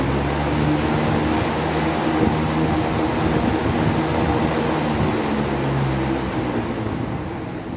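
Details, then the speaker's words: Electric fan that stuck on start-up, already given a new shaft and bushings, after reassembly with the loose front washer fixed. Steady, even hum and airflow with no rubbing or knocking. Fan spins freely: normal running. "bueno ya no se escucha el ruido castilla y si gira recio vamos a y probar de nuevo otra vez ya no es el ruido gira libremente"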